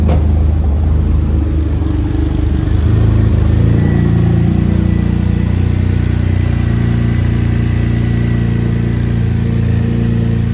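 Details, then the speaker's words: BMW E91 N52 engine started after valve cover gasket replacement, with the Valvetronic motor removed and recalibrated; catches and settles into a smooth, steady idle with an even low hum, no ticking or stumbling: normal start and idle. "It should run fine. We didn't have anything out besides the Valvetronic motor, but just to make sure, I'm going to start it up."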